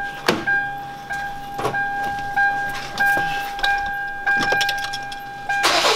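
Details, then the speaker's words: Kia Grand Carnival at 100,000 km, idling. A bird- or cricket-like chirping squeal about once a second rides over the engine note and is louder from the wheel side; it is traced to the crank damper pulley. "There's a strange noise, like the sound of a cricket, like a bird, in addition to the basic sound of an engine I can hear it better from the wheel"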